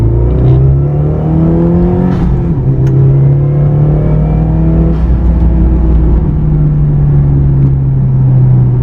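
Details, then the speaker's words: Subaru WRX turbo after swapping back to stock coil packs, regapping plugs, new MAF, DW300 pump and 40 micron inline filter, Tomei manifold: strong smooth pull, even rising note, no misses; healthy acceleration, temperature fine; owner thinks aftermarket coil packs need a tune. "She feels good. She feels good. This is the best it's ever felt. I think the coil packs need a tune to run it."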